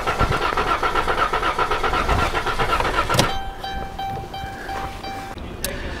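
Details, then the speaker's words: 2012 Dodge Caravan or Chrysler Town & Country 3.6L V6 with a misfire complaint, cranking: about four pulses a second with a lopsided beat, some strokes lighter; scope relative compression test confirms two cylinders low on compression. "다수의 실화 코드는 여러분, 다시 말 하지만 그 소리가 바로 단서였습니다 엔진의 크랭크 소리가 그처럼 들린다는 것은 압축 문제가 있음을 말해주는 것입니다"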